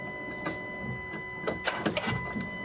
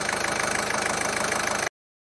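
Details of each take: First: Ford 1.5 TDCi diesel, first start after a jumped timing belt broke rocker arms, bent valves and damaged the camshaft, all now replaced. It cranks and catches with uneven, stumbling firing and irregular knocks, not on all cylinders, because the fuel system is still full of air. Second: Ford 1.5 TDCi diesel, after repair of a jumped timing belt (rocker arms, valves, camshaft and belt replaced): an even, fast diesel clatter at idle that holds steady with no misses, knocks or hunting. Healthy idle.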